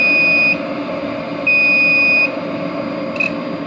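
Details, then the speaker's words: Everlast W375 TIG water cooler with a water-cooled 18 TIG torch hooked up, used with a 256si welder and red ELC coolant: two high beeps at start-up over an even pump hum, then quiet smooth running with no alarm. A normal start-up. "And then now with the TIG torch hooked up to the cooler, it should not beep when we turn it on, other than the start."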